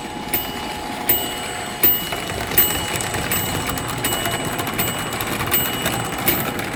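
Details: American Flyer #372 Union Pacific GP7 (1955-57) motor running well before further field-to-armature adjustment: thin steady electric hum and whine with a light click about every three-quarters of a second; normal smooth run.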